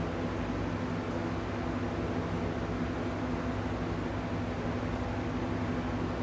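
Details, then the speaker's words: Factory-serviced McGraw Edison Comfort Fan running on high with a smooth rush of air and a low steady hum. It hums the same as the main fan but without that fan's vibration, which was suspected to come from a misaligned motor shaft. "So the good news is the hum that I thought was coming out of the other fan, this fan sounds exactly the same."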